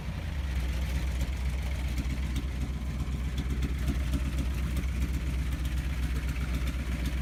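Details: 1986 GMC dually 6.2L diesel, rewired after sitting over two years, just started with smoke: deep steady idle with even low firing pulses about four a second, no misses or knocks.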